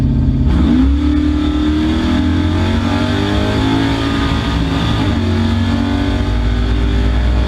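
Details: V8 drag car at the track after lifter replacement, wide-open acceleration: climbs through revs then stumbles and drops back near the top, cutting out around 6500-6800 rpm as before; high-rpm cut-out, cause unknown.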